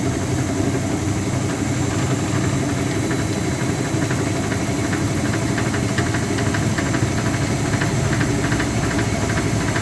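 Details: Speed Queen TR washer running: steady, fast clanking knock over the drive drone, caused by play in the drive pulley after the pulley nut loosened.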